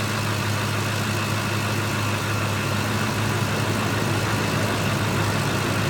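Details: 2005 Ford F150 5.4 Triton V8 that idles rough and dies: low idle with an uneven, slightly lumpy beat under a steady hum; rough idle, cause not yet clear.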